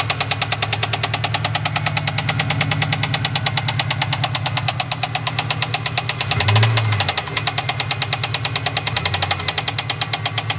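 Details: 1998 Trans Am LS1 at idle: sharp, regular deep bottom-end knock about three per second above the engine note; owner suspects a rod bearing, not confirmed.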